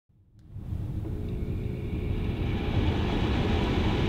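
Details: Bathroom exhaust fan switched through a Tuya one-gang Zigbee switch module paired to Homey Pro: steady low rumbling hum with faint even tone once spun up, no rattles or scraping; normal running.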